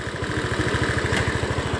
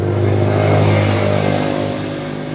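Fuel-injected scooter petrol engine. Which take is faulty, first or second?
second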